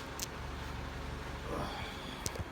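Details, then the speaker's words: 1998 Yamaha YZ125 two-stroke, cold start on choke in freezing weather: runs rough with a hard, diesel-like knock over a rattly idle; owner suspects a bad main bearing. "right, 98 YZ125, cold start, freezing cold. Chokes on."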